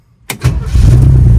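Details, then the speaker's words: 1965 Chevy Nova wagon with new Holley 450 carburetor, hot restart after a drive: brief crank, catches immediately without touching the gas and settles into a steady, even idle with no stumble. "Oh, it's beautiful. I didn't have to touch the gas. Well, that thing seems to be running pretty good right out of the box."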